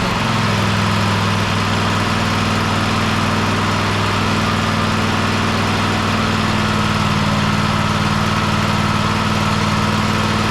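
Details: Husqvarna YTH24K54 riding mower after service (new oil, oil filter, spark plugs, fuel filter, air filter): steady, even single-cylinder thrum at constant pitch, no knocks or misses, settling into idle. Normal idle.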